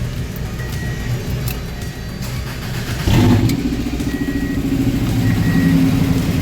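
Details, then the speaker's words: 1994 Subaru Legacy 2.2L after a new fuel pump, radiator, headers and thermostat; quiet crank, then it catches and runs steadily with light revs, music behind; first successful start, running normally. "well guys there you have it she does run i am so excited to finally get this car running"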